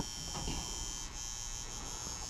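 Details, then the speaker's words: Garage furnace fan control center: steady harsh electrical buzz from the 24-volt transformer, wavering when moved, measuring 24-28 volts; loud transformer buzz. "Got the fan control center here with the transformer on there and a relay. And right now, that's where I'm hearing it come from."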